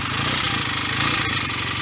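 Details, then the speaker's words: BSA A65 twin just after a full top-end rebuild with new piston rings: fast, even popping tickover, maybe slightly high, with no knock or misfire. Owner may need to reset the tickover, which was set earlier while plugs were fouling and compression was likely slightly low. Normal idle. "I might have to set the tick over up again, because I was chasing a tick over before with the plugs fouling and probably a slight loss of compression too."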